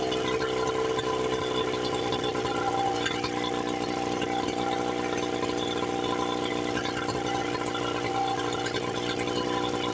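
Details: 1976 Johnson Seahorse 9.9 outboard, low hours, first run after 30+ years stored, after repairs, on a flush attachment. Steady fast idle with no misses or surging, carburetor unadjusted; sounds healthy, though no cooling water comes out yet (thermostat or water pump suspected).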